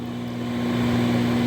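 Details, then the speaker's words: Whirlpool microwave, previously not heating, after repair, running a two-minute test with water: steady even low hum with no crackle or dropouts, water boils; magnetron working normally. "it's purring just like a cat"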